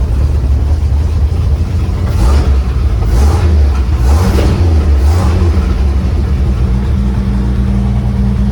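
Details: 1955 Chevy 3100 pickup, old six-cylinder revived after long sitting, running on an added electric fuel pump because the mechanical pump won't pump (camshaft lobe suspected worn): deep, steady rumble with brief rev swells, no misses or knocks, running normally.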